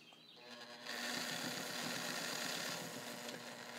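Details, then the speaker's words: Fully overhauled and restored all-steel Morse Fotomatic IV zigzag sewing machine by Toyota, with a new size 16 needle, straight stitching at the longest stitch length: quick even whirring and steady stitch rhythm, no knocking or grinding, running normally. "You can hear it running, and then I'm going to go back stitch just so you can see the back stitch capability."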